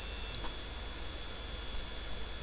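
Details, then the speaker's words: Retro Pentium 4 Socket 478 motherboard being restored and recapped, no RAM installed, fan running: single quiet short high-pitched POST beep then silence, flagging no memory installed. "It's not bleeping or doing anything. Oh, hang on. It is bleeping. It's just quiet,"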